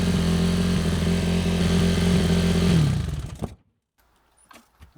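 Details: Yamaha YZ450F single-cylinder after carburetor cleaning and hot-start repairs: smooth, even thump at a steady fast idle for about three seconds, then shut off. Normal running.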